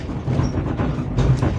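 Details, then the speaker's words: Daihatsu Gran Max, 111,000 km, test drive: heavy low rumble and shudder from underneath at the rear, dull and constant with no clear knock, louder accelerating in third gear; mechanic thinks the mounting may be touching something. "Saat pertama kali saya menghidupkan mesin dan mengemudikannya, ada getaran hebat di bagian"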